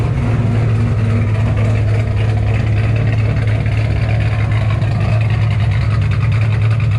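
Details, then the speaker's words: 2007 Shelby GT500 supercharged V8, after L&M NSR cam install, Venomous Tuning tune, freshly refueled, check engine light on; deep loping V8 burble with lumpy cam rhythm, revving cleanly and evenly; healthy and strong. "she sounds amazing like straight up amazing this is having a supercharged gt500 is one thing cammed on top of it it's just like legit your dream come true right now"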